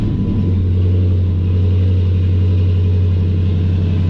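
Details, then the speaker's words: Used 6.1L Hemi takeout engine, heard under the hood before shipping, as a swap for a Dodge Magnum SRT8 whose original engine blew up at about 280,000 miles. Smooth, even V8 running with a deep, steady hum and no knocks or ticks; sounds healthy. "sound in 6.1 swap under the hood this one's going to be a motor transmission belt driven accessories ECU ECU sounds great"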